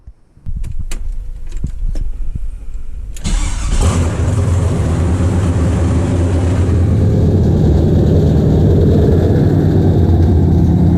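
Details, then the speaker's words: First startup of an LS V8 swapped into a BMW E36 with headers and no exhaust built yet, after fuel pump prime: a few cranking clicks, then it catches and settles into a deep, steady, even idle rumble. Normal start and idle. "yo that is sick this thing sounds so freaking good ready to start driving this thing"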